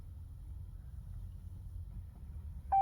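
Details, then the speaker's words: Power Wagon that won't start, 2 km before warranty expiry: low quiet rumble, then a sharp steady warning chime as the dash cycles through every warning, screen dead and lights flashing; electrical fault of unknown source. "it keeps cycling through the warning see look service shift every warning there is"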